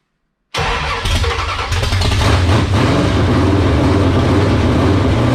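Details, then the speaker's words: 1978 Dodge Warlock truck, 360 small-block stroker V8 with high-volume oil pump, restart after raising idle: quick catch, brief rev rise, settles into strong even idle; 75 psi oil pressure at idle, healthy. "oh that was pretty impressive that thing sounded great wow we were getting 75 pounds of oil pressure at idle"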